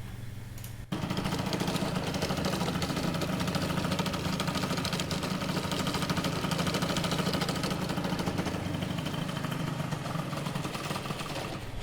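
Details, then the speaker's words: Freshly built Didier Thomas G2 prepared two-stroke engine on first start catches and runs with an uneven, labouring, sagging beat, stalling after about twenty seconds and never warming up; unstable idle, unusual noise, cause not yet confirmed. "Je sais pas si ça s'entend bien, mais en gros, le moteur, il a du mal à tenir le ralenti. Il tourne, je sais pas, une vingtaine de secondes et il s'éteint."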